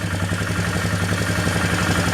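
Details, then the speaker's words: Polaris Magnum 325 single-cylinder ATV with a rebuilt carb, fuel gravity-fed straight from the outlet and the needle raised fully, still starving. Idles with a lumpy, hunting beat that sags and recovers; lean idle from fuel starvation, cause still unknown. "So whatever this thing has going on seems to be like all of my other projects. It's never just as simple as redoing a carburetor. Never. The thing is starving for fuel."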